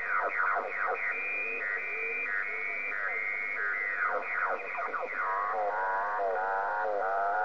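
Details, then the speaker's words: Amateur radio receiver on the 10 m band: warbling, sweeping whistles and chirps wipe out the band with no steady signal. The interference is local to the property, not heard 3–4 miles away; power line adapters are suspected but unconfirmed. "wonder if anybody can identify this noise I'm only getting it on 10 m not sure if it's the power line adapters problem that we tend to have nowadays but it's all over 10"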